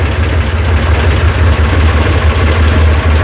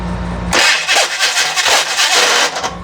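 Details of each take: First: Rebuilt FC engine first start after setting ignition timing: strong, even deep rumble holding a steady idle, smooth and free of knocks or misses; healthy running. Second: Rebuilt FC engine on its first start attempt: harsh, pulsing grinding all through cranking and it never fires, as the starter gear doesn't mesh cleanly with the flywheel. The starter and solenoid were then replaced.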